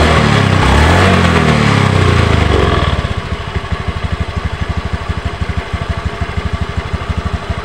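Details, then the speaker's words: Honda Beat ESP scooter CVT: rough revving settling into steady knocking about three times a second; suspected worn variator or roller housing and rollers; noisy block, pull feels off. "Kasar banget tapi buat tarikan udah enggak enak teman-teman ya"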